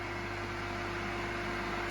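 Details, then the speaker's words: 3000 rpm single-phase motor on 220 V, started with capacitor then capacitor removed: steady even hum at constant pitch, no knocks or wavering, running smoothly at full speed. Normal running. "The three-thousander started working You can do everything with the button"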